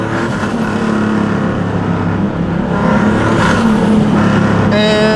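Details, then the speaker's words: Big-turbo car, light-boost pull: engine pulls hard, then quick fluttering chatter as the throttle lifts, normal compressor flutter. "do a nice little low boost pull for you guys first here's some flutter"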